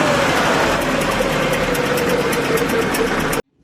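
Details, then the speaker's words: Petrol engine idling with a loose spark plug held down by a makeshift tube and slotted washer: rapid puffing chuff riding on each firing pulse, about three per second. Compression leaking past the spark plug. "Still blowing through it a little bit. Do you hear that like chaffing noise? Is it bad then?"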